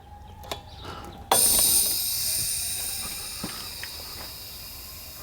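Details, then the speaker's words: Air compressor being pressurised into a new PEX hard line: sharp pop, then a steady high-pitched hiss of escaping air that slowly fades as pressure bleeds off; air leak from a burst hose. "sounds like I popped one"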